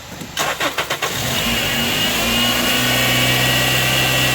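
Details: Engine cranked during a fuel-system check, with a multimeter back-probed on the injector harness to read injector voltage: a few quick cranking beats, then it fires promptly and settles into a steady, even idle; normal start.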